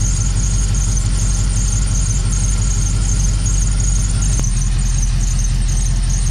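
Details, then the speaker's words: Dodge Dakota R/T 5.9L Magnum V8 at idle with a lumpy, uneven beat from a persistent miss after new spark plugs and a sealed exhaust. A constant high squeal is suspected to be the serpentine belt slipping, ignored because a ProCharger supercharger will replace the belt. "Also, the belt is squealing, but I don't care because once we put the Pro Charger on, we're not gonna have that same belt on."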